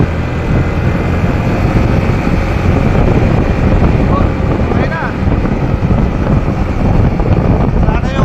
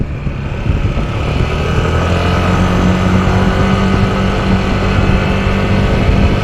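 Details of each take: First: Yamaha NMAX scooter after replacing primary drive and bearing: smooth, even engine and road sound through low speeds, the loud noise that appeared from about 20 km/h and faded by 40-50 km/h now gone; normal running after repair. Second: Yamaha NMAX scooter while riding: loud steady airplane-like drone that appears from about 20 km/h and fades by 40–50 km/h; caused by a worn primary drive gear.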